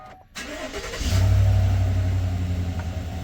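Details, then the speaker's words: 2021 Chevrolet Silverado after replacing idler pulley and serpentine belt for a whine that rose with revs: engine cranks, catches within a second and settles into a smooth, even run with no whine; fix confirmed. "So far, so good. Yeah. Let me take a listen down there. Oh, that's night and day difference."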